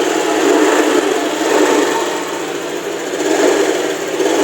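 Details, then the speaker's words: Honda Vario ESP scooter, newly arrived, starts easily but 20–30 seconds after starting runs rough at low throttle and rpm, beat faltering and cutting out, sometimes stalling; injector and TPS already replaced, fuel pressure normal; cause a leaking valve, since repaired. "nanti kalau udah hidup agak 20 detikan atau 30 detik gitu ya nanti dia tuh ada nyendat-nyendatnya ini ya Coba dengarin ya nanti nyendat dia"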